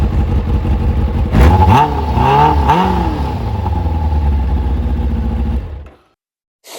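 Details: Kawasaki ZZR600 after fitting a Micron exhaust, MOT prep and carb resynchronisation, now starting first time: smooth, even four-cylinder idle and three crisp rev blips before shutdown, healthy exhaust note; rides and sounds great.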